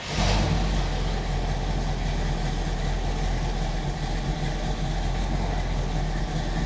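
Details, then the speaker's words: 1967 Chevrolet Camaro RS/SS, numbers-matching 396 big-block V8, Edelbrock 4-barrel carb, HEI, Turbo 400 automatic, under the hood: deep, lumpy burble after the start settling into a steady idle with even firing, no knocks or ticks; normal. "So like I said, what we'll do now is get this thing down, go underneath the hood so we can fire that numbers match 396 up for you, let you hear what it sounds like."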